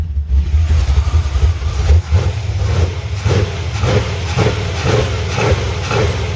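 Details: 1985 Chevy C10, 350 short block with ZZ4 heads and cam, freshly fitted used Quick Fuel SS 680 cfm vacuum-secondary carb, choke unhooked, mixture unadjusted; revs with slightly uneven pulsing beat, crisp but stumbling from trash in carb: rough running from dirty carburettor.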